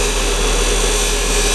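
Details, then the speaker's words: Wood lathe at 3000 rpm, gouge held down on the tool rest and not forced in: a steady, even hiss of light cuts without chatter. Chatter appears when too much material is taken at once. "I'm not forcing it in though. Just like that. It's taking nice, light little cuts."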